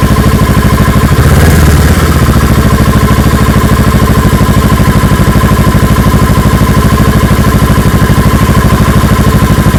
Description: Is this normal idle for 650r? It wobbles after I give it a rev.